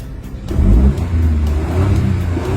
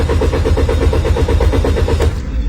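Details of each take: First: Car that wouldn't start despite new throttle valve and checked plugs and coils, after repair: starts and revs cleanly, strong and even with steady deep note, no misfire; normal revving, problem solved. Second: Car that won't start despite throttle valve replacement and checks of spark plugs and ignition coils: steady rhythmic cranking four to five beats a second, never fires; traced to dirty camshaft position sensor.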